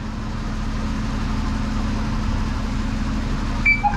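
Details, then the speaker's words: 2015 Dennis Eagle Elite 6 refuse truck, engine idling with a low hum: short sharp loud beep as the rear body is switched on from the dashboard, no compaction working; cause unknown. "So, engine off. Engine on. You'll hear a weird loud beep when the rear end gets turned on the dashboard"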